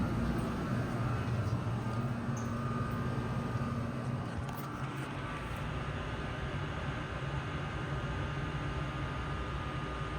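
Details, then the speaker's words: Old commercial Trane water source heat pump cooling normally after clearing the clogged drain: steady even hum with no rattles or surging. Return air is 73°F and supply 57-58°F, already dropping. "And about 58 supply, 57. It's already dropped a degree."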